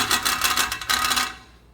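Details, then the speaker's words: 2019 Nissan Rogue SV AWD, road test after rear brake pad and rotor replacement: fast tinny metallic buzz-rattle in quick bursts while driving, then dies away; bent, loose exhaust heat shield. "I'll put a hose clamp around that so that should take care of it yeah that's good Shield is bent too why I don't know"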